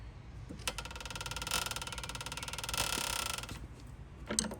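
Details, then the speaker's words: 5 HP Sattley hit-and-miss engine during valve adjustment, still with excess lash after half-turn adjustments: fast, fine metallic ticking rides on each firing burst and fades as it coasts. "Still got lash. Still got lash. Still got lash."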